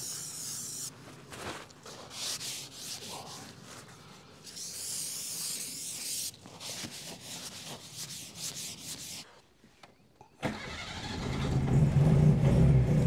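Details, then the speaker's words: Austin Allegro with Hydragas suspension sitting wonky on one side, moving slowly: rough rhythmic scraping about three times a second in time with the wheel, as the tyre rubs on the wheel arch. "yeah it's rubbing the wheel Arch on the tire look that's what it is there"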